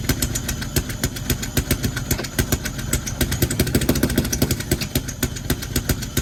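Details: BMW E46: uneven idle with irregular thumps and a lumpy, hunting beat; rough idle, owner suspects a misfire from the jumping, cause unconfirmed.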